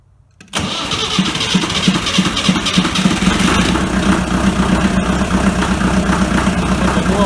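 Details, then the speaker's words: BMC Mini diesel after new glow plugs, glow plugs heated a few seconds, throttle slightly up: brief crank, catches at once, steady even diesel clatter at idle; clean healthy cold start. "let's start it up put the throttle up a little make sure that it's in the start position in the gear and I'll turn the heater on the glow plugs on a few seconds"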